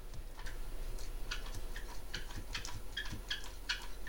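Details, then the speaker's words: Front driveshaft from a 1997 Jeep Wrangler turned by hand: small, irregular chirps and squeaks from a worn U-joint with very little play; driveshaft being replaced. "a little chirping so as this thing was turning it's doing this and it was chirping"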